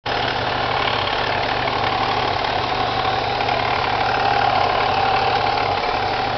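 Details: Chevrolet Cavalier with M45 supercharger, idling: steady mid-pitched whir with loose, uneven ticking about four a second from the pulley/timing chain area; strange noise, cause unidentified.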